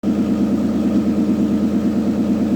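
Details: Mitsubishi Montero idling on a lift: loud raspy puffing exhaust leak from a broken flexible pipe section.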